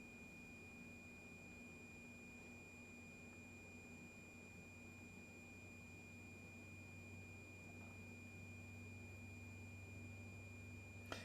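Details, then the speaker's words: LED ceiling fixture driver, opened, powered but failing to light: steady high-pitched whine; fixture had started delaying turn-on several seconds after sitting off for hours; resistor looks baked, electrolytic capacitor suspected. "not starting and just here like a wine right here is electrolytic"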